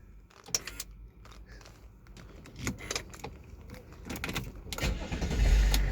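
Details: Land Rover L322 Range Rover: several sharp clicks from the steering column lock solenoid as the key turns, after drilling an access hole and spraying WD-40, then the engine cranks and starts first time. Normal steering lock release and start.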